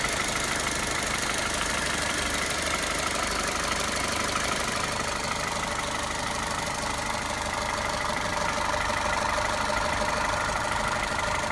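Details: Toyota 1.8 VVT-i engine at idle: steady idle with a fast, fairly even ticking running throughout; abnormal engine noise, cause not identified.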